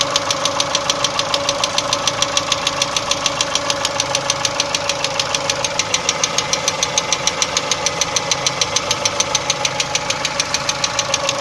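Sharp metallic ticking about three times a second, steady and even over a quiet idle; a clear knock inside the engine.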